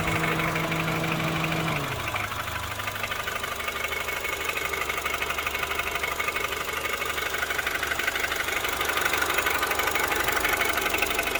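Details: Honda Civic 8th gen FD2 (Korea) with K20Z2 engine at steady idle, a light even tick about twice a second over the engine; owner couldn't find where the ticking comes from.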